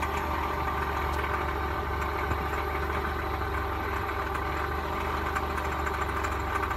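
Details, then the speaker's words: 1999 Toyota Corolla 1.8 idling with a steady, rapid knock underneath resembling a rod knock, confirmed to come from the power steering pump pulley. "I think the noise was coming from the power steering pump pulley um which is located down in there"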